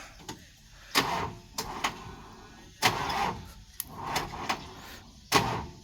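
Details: Excavator being jump-started from several batteries, five in total, still won't start: short, uneven bursts of slow, weak cranking with pauses between them, never catching. Voltage keeps dropping. Weak cranking, no start.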